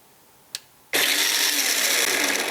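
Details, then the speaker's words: Makita XMU04 cordless grass shear, battery at 19.44 V, previously dead, cover just opened: quiet, faint click, then motor suddenly whirs to full speed with steady high buzz; intermittent start, owner wonders if a wire got pinched. "now look at that it's working it's working huh well that's a strange thing I gotta tell you because it wasn't working before"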